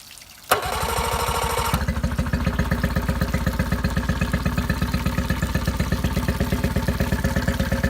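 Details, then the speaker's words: Yamaha 8hp outboard kicker with electric start and trim/tilt assist. The starter cranks briefly and catches cleanly, then settles into an even, steady putter with regular firing; described as running strong and easy, a healthy idle. "Keyhole sitting out really strong. Motor running really easy. Run real strong."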